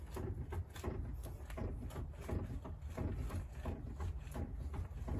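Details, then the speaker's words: Renault Zoe ZE40 at 116k, front wheel rocked by hand: dull, loose knocks at one to two per second, coming from the centre rather than the ball joint. The owner suspects the steering rack; not confirmed. "so nice knocking noise um and you can usually feel if it's the ball joint kind of just behind there but this is really Central and it looks like the steering R's actually in"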